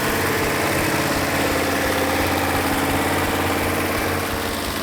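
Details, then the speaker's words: Rebuilt original 426 Hemi V8 in a 1971 Hemi Cuda, after timing and carburetor adjustment: a deep, even, lumpy idle with no skips or pops. Normal idle; all 8 cylinders firing equally. "In this case, I had a perfect running engine. All 8 cylinders were firing equally."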